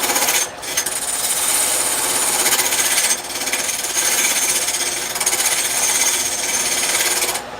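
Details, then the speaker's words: Wood lathe turning an uneven blank: rapid rough chattering rattle, easing off briefly, as it wobbles; normal chatter from the out-of-round blank, to be shaved down until it no longer wobbles. "You can hear it chattering. Well, that's not a big deal because that's normal."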